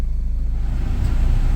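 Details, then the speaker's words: Auction-bought Ford Focus running after engine computer harness repair: steady low engine rumble, then a soft click and slight load rise about a second in as the AC compressor clutch engages normally. "okay you can hear the compressor kick on there the come on yep"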